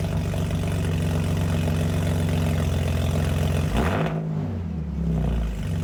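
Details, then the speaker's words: BMW E46 wagon just fitted with eBay headers, basically straight-piped with only the first resonator and no muffler, on its first cold start; a deep, booming, raspy drone at idle swells when revved, very loud. "Yeah, that's done. That was real fucking loud. I'm gonna throw a muffler on it because that is loud as shit."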